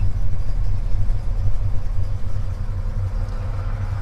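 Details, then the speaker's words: 1977 Chevy C10 with lumpy cam: low, uneven idle around 600 rpm that surges, chugs and sags as if about to stall; rough idle dragged down by A/C compressor load. "it would idle around 600 and when I pulled up to a stop sign or go through a drive-thru it would sit and chug and choke and feel like it was almost gonna stall"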